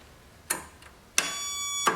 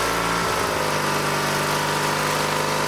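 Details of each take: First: Old Dynamark tractor with opposed-twin engine, pulled from scrapyard, engine not seized: after fitting a battery, three sharp metallic starter solenoid clicks about two-thirds of a second apart while the engine never turns over; test light then checks power at solenoid. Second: Old Dynamark lawn tractor, 16 hp rated at 3600 rpm, recovered from a scrapyard and given new fuel lines, started on choke without the air cleaner fitted; after a short crank it holds a smooth even idle with steady hum, no misses or knocks.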